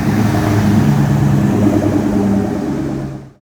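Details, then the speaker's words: 1967 Ford F100 with 4.6 DOHC V8 from a Lincoln Mark 8, after installing new serpentine belt: steady even rumble, no chirp or squeal; belt squeal fixed, old bearings weren't the cause. "Put the new one in. Took a second again to double check everything. And started it up. Sounds good. I'm happy with that."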